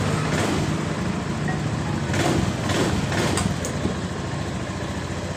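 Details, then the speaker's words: Beat Pop scooter that stalled and misfired while riding, after replacing the fuel pump pressure part and filter, pressure now normal 42 PSI: steady, even low idle with no stumbles; starts and runs normally. "ini tekanan sudah berada di normal 42 PSI jadi motor ini langsung hidup dengan normal"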